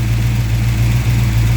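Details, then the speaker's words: Mopar 340 V8 that stalls after warming up, restarted after sitting 20–30 minutes: the warm idle rumbles low, then sags and wavers as the tach turns erratic before a stall. A loose terminal screw on the blue wire is suspected, unconfirmed. "let's see if this guy's going to go wonky here that's usually an indication she's going to stall"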